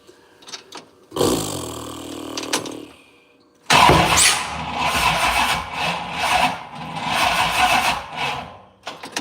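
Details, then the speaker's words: 6.0 engine with Holley Terminator X system, battery mounted in the back of the truck: starter grinds in uneven bursts that speed up and slow down, never catching; slow crank no-start, weak battery suspected. "I'm telling you that battery acts like she ain't got enough ass to do nothing"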